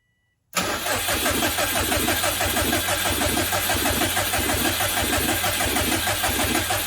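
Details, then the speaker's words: Subaru after timing belt work, cranked on the starter with the fuel pump relay unplugged to build oil pressure, no fuel so no firing; an uneven scraping knock each turn seems to come from inside the timing cover; earlier bad-bearing noises, cause unconfirmed. "crank her over um yeah it almost sounds like there's something inside that timing cover one more time okay okay i'll have to take that side cover off again"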